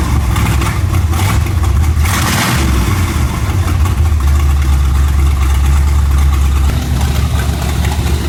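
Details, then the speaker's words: Chevy 350 small-block V8 swapped into Suzuki Sidekick, fuel pump not hooked up, ignition timing well off after distributor knocked: loud heavy idle lopes and stumbles unevenly; rough idle from incorrect timing. "on timing ain't [Music] perfect sweet it's sucking its own fuel"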